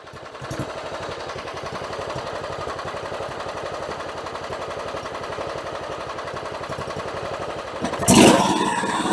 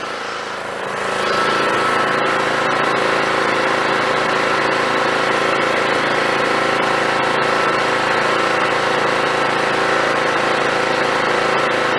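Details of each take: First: John Deere GT262 mower after a new fuel pump, battery, fuel filter and air filter. It runs at low idle with an uneven, stumbling putter, still on some old fuel. Rough running. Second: John Deere GT262 lawn tractor after carburettor swap, low idle: even, steady beat with no misses or knocks; normal idle.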